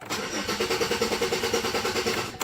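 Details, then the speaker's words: Chevrolet Malibu with an emissions issue and check engine light, warm restart after running a while: the starter churns steadily for about two seconds before the engine finally catches. Owner suspects the crank sensor, not yet confirmed. "now she won't start ain't that something and then she won't restart no wonder got something to do with that crank sensor"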